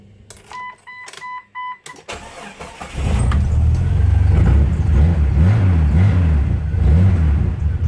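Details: Jeep Cherokee XJ with its muffler cut out, running straight pipe: a few chime beeps, then the engine cranks, catches and settles into a loud, raw, deep rumble.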